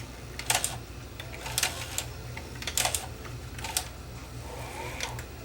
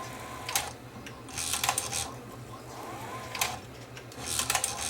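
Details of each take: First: Sony SL330 Betamax (711B3 chassis, late mono model) cycling play/stop: sharp clicks and clunks about once a second with faint motor whir that keeps stopping; loading mechanism jams, cause unknown, either flat spot on motor or mechanism physically jamming. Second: Sony SL330 late-model mono Betamax (711B3 chassis), whose mechanism kept jamming with a tape stuck; test with a thin old tape shows short motor whirrs and soft clicks as the cassette loads and modes change, cycling smoothly without jamming.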